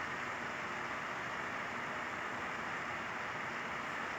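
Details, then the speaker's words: Small cooling fan after a few drops of oil were put on its loose shaft: a steady, even whoosh with the earlier rattling gone, now running smoothly. "suavidade que os funcionam e o que é o que leva para parar de rodar a e olha como é que ficou macio ela"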